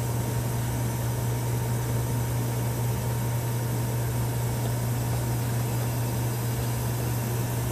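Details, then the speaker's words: Antique Frigidaire W-5 refrigerator during charging, door open: steady hiss of gas blowing through the evaporator over constant motor hum, no liquid circulating because undercharged; possible slight belt slip suspected for a squeak. "You hear the gas blowing through the evaporator because there's no liquid circulating"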